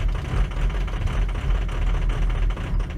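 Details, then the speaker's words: Ford F350 6.0 Powerstroke diesel, cold after a hard start, before injector replacement, foot on pedal to keep it alive: deep rumble with a lumpy, uneven beat, rough and ready to die; failing injectors, fixed with Ford reman injectors. "So it's hard to really see how rough it runs if I let off my foot off the pedal. But you can hear it already. It's running rough."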